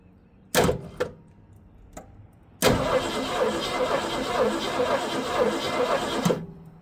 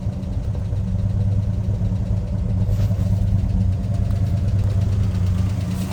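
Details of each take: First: 1965 Ford Mustang 289 V8 barn find, parked 29 years: starter cranks evenly about four seconds without catching while testing for coil spark; no spark, points may need more cleaning or replacement. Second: 1965 Ford Mustang 289 V8 barn find, parked 29 years, running on fuel primed in the carb, no coolant yet: smooth, steady low idle, no misses, knocks or stumbles; runs like a top.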